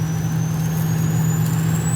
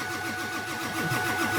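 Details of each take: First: Ford Super Duty diesel truck cruising on cruise control over inclines and declines, half tank of fuel: steady high turbo whistle rising in pitch over even diesel drone, normal turbo spool. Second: Diesel truck cranking in about 6–12 degree cold, battery getting low: starter turns it over in a steady slow rhythm with no firing; fuel not gelled but no high pressure oil to open the injectors.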